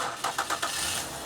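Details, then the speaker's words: 2012 Ford Escape 3.0 litre, no-crank no-start, cranked via jumper to starter: four quick even cranking pulses, then catches and settles into steady idle; normal start, charging at 14.5 volts. "okay so the engine starts and runs just want to real quick just check the and it is charging it's 14 and a half both so it's charging okay"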